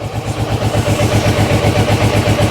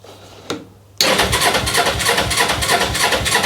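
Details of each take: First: Carburetted motorcycle warming up: steady even low throb at idle, no ticking or knocking; engine mechanically quiet, though still dislikes revs and choke. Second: Motorcycle with carburettor, choke on, side stand up: catches abruptly and runs lumpy uneven beat about five seconds then dies; starts but won't keep running, fuel tap then switched to reserve.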